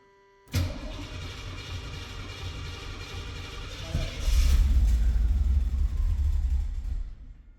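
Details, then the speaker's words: 1982 Pontiac Trans Am with Crossfire injection, abandoned 30 years, cold start after new fuel pump and replaced fuel lines: cranks, catches, settles into a lumpy, rough idle with a brief rev; vacuum leak suspected, better than with excess fuel pressure. "Here we go. Little rough. Probably vacuum leak still. Nonetheless, it's quite better than what it was with too much fuel pressure."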